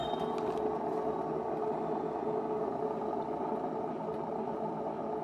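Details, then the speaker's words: Washing machine, unplugged, motor removed and brushes fine, drum spun hard by hand: steady rough rumbling drone from worn drum ball bearings pressed into a sealed tub. "the noise so it's these ball bearings that's a weird noise inside too"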